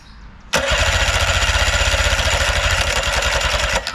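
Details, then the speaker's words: 1990 Evinrude 9.9 outboard, starter jumped for compression test: steady cranking at about four even pulses a second without firing; gauge reads about 100-105 psi on both cylinders, good compression. "we got right about 100 105 and right about 100 so yeah that is close enough we are perfectly okay with that good compression"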